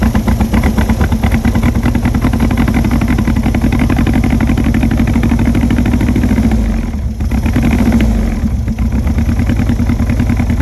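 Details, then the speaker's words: Barn-find VW Beetle custom Poraga 925 convertible, first start after fuel began filling the system: a loud, lumpy, sputtering idle that sags near the end. It sounds like it is misfiring or running rich; a tune-up (points) is suspected to be needed. "psychedola sounds like it's misfiring or running rich we definitely need a little tune up"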